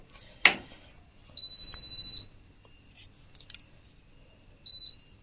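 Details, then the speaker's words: Philips Viva induction cooktop after reconnecting the coil sensor and power plug: a sharp click, then a clean high beep of almost a second and a shorter one later; touch controls now respond normally. "இப்ப touch வந்து நல்லாவே function ஆகுது முதல்ல ரொம்ப ரெண்டு மூணு தடவை அமுத்தணும் இப்ப கரெக்டா இருக்கு"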